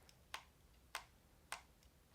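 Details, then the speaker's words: Wireless gaming mouse with rubber-textured side grips: four crisp clicks, one each time the side is squeezed; shell creaks under grip pressure, possibly not sealed perfectly, unsure if just this copy. "you can hear mine creaking right there it's like it's almost not sealed perfectly so that's a bit of a stinker"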